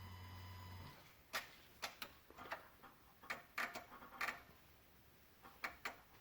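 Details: 2016 Honda Odyssey, engine off, quiet cabin: sharp irregular electrical clicks in loose clusters from near the PCM and VSA control module, with Engine, VSA, LDW and FCW warning lights on; cause unknown.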